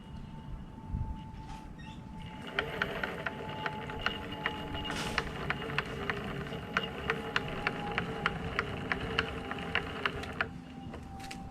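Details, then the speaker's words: Onsra Black Carve electric skateboard, left motor isolated by tilting: steady whine with sharp click about twice a second; mount and belt tension already readjusted; owner suspects motor imbalance or gear-to-wheel ratio. "either the motor is not perfectly balanced while it rotates or this ratio between the gear and the wheel"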